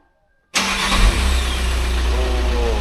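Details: VW Crafter diesel van with a history of four starter motors in eight months, first start after clutch and flywheel replacement: silence, then a quick catch and flare into a steady, even diesel rumble with no knocks or rattles; normal start and idle.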